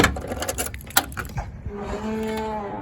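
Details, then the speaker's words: 1966 Dodge Dart GT, slant six 225: tinny clunks of loose sheet metal and a long low groaning squeak from the trunk hinges as the old trunk lid swings open. "that innocent squeak and the clunking of loose uh sheet metal."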